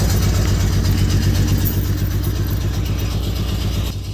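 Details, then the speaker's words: Cold engine on a $300 auction car from an Oklahoma lot idles rough with a lumpy, uneven low pulse about four beats a second; owner says it sounds like an exhaust issue, cause unconfirmed. "Sound like some exhaust."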